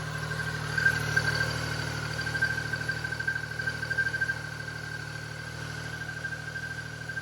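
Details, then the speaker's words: Started after sitting about 6 months. Quiet, even idle with a steady low hum and no knocks or misses; runs cleanly. "But I haven't started it in a while, so let's go ahead and start her up. Sounds good. I've been started in about 6 months."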